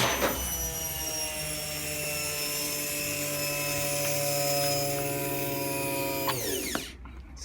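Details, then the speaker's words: Hotpoint FEW12 washer with motor hot-wired, safeties bypassed and no ballast, spins up with a rough grating roar and rising whine, then a slap as the belt is thrown; drum bearings badly worn. "Sounds like we lost the belt. That's the peril of using a machine that's so dead. Such bad bearings."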